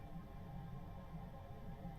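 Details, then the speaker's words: Auto Trail Expedition 67 Flex campervan heater on full gas boost, turned up to warm the interior; steady low roar like a rocket about to take off, loud but even, no surging or popping, normal operation. "I think when youve got this on Full Tilt on gas it does whilst it's boosting sound a little bit like a rocket about to take off um it's not discreet"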